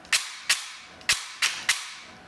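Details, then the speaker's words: T238 brushless motor in an airsoft gun with new piston, cycling: only sharp piston slaps heard, no gear noise or motor whine; grip stays mildly warm, peak current only 19 A with lower inrush. "i can barely barely hear anything but the piston slapping like i don't hear any gear noise or anything no wine from the motor nothing just the slap of the piston that's blowing my mind"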